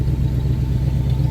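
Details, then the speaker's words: 1978 Jeep Cherokee V8 heard at the tailpipe at idle: deep, steady, smooth rumble with no ticks or rattles; no weird noises anymore after new intake, great exhaust note. "So around back, you get a great exhaust note out the back. No weird noises anymore with that new intake. Just sounds great."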